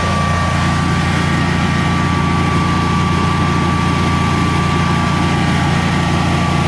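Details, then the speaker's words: Generac Guardian 16kW standby generator running on gas after refurbishment, carrying close to 6,000 W of heaters: a steady, even drone with a constant hum holding speed, no surging or hunting, healthy under load and not hesitating. "foreign under close to 6 000 Watts didn't even hesitate I think I like this machine"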